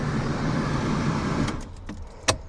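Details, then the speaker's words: Barn-find Mercedes 190E, not run properly for years, key cycled before starting: steady low electric hum for about a second and a half then clicks, the fuel pump priming normally. "Now, because she hasn't been running properly on the road, I'm going to just prime the pump a couple of times first. Put the key in and out. I can hear the pump priming."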